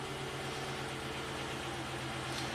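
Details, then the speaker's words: 2008 Chevy Impala SS V8, 75k miles, intermittent P0201 injector 1 circuit fault with limp mode, just restarted after clearing codes: even, steady low idle, no stumble or hunting, seems pretty smooth; no codes, zero misfires. "There we go. Seems to be pretty smooth."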